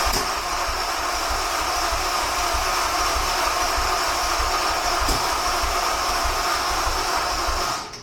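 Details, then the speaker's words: Honda S2000 cranked with the injectors reconnected after fuel-clearing cranks left a strong fuel smell: steady starter whir with loose compression chugs about three a second for eight seconds, never catches. Cause unknown; crank, no start. "obviously that didn't work."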